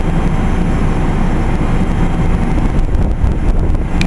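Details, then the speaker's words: Carrier Infinity GreenSpeed 25VNA inverter heat pump starting in cool mode: a loud deep rumble with a steady drone and light ticking that sounds faulty but is normal startup behavior for this unit. "sounds like there's something wrong with it when it starts up but that's how it's supposed to sound"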